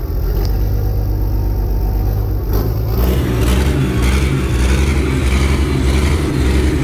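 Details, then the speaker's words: Worn Perkins 6354 turbo diesel intended for an M3 Stuart tank, after oil-leak fixes and cooling bypass; heavy even rumble with rising turbo whistle spooling up through forward/reverse, water smoke, sounds healthy. "That doesn't sound that bad at all, does it? No. You can hear that turbo spooling up as well."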